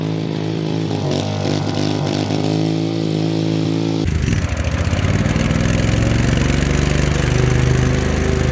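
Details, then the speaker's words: Husqvarna YTH2148 lawn tractor, Briggs and Stratton Vanguard V-twin, 48-inch deck: engine runs steady, then deck engages and a rough growling clatter builds from loud worn spindle bearings, noise comes and goes; deck belt also needs replacing. "does oh here the deck needs some work too bearings are loud and everything I know it needs a deck belt"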